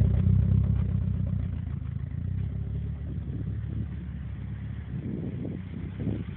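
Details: Nissan S14 at idle: low, uneven idle with a rhythmic stumble of about four beats a second and sharper clatter creeping in; misfire, cause not pinned down.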